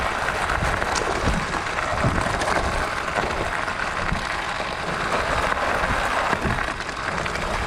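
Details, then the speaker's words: Pletscher Esge kickstand after the fix of wedging a small stick in the retracted stand. Steady tyre and trail hiss while riding with no rattle or clunking; the kickstand is now quiet. "So there it is. That silences it completely. It's actually the quietest of the hacks that I've come up with."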